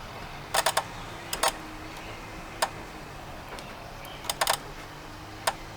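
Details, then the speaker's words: RV rooftop air conditioner on a permanently parked RV, breaker on after fitting a new control board: wiggling the low-voltage cable wires (green, yellow, all of them) makes relays click open and closed; suspected bad wire, high fan not working. "But every time we touch those wires, you can hear relays opening and closing in there."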